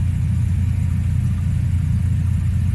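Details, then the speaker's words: 1993 Mazda RX-7 FD rotary coming up to temperature at idle: steady, smooth low rumble, with the earlier belt chirp gone. "But everything's looking good. So, and really that's you hear that belt chirp thing went away."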